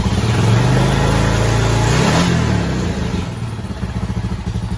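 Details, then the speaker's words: Honda Foreman 450 ATV after full carburetor clean, rebuild and install, idle screw turned up: strong rev settling to an even single-cylinder thumping idle, crisp throttle response; normal running. "So look at that. Good running four-wheeler. So that's a carburetor that we've gone through completely clean."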